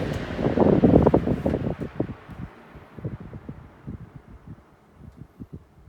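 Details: Vintage Mimar model 425 fan, warmed up after about 20 minutes, spinning down from low: soft whoosh fades while even ticking slows from about three per second as the heavy hub coasts down; healthy.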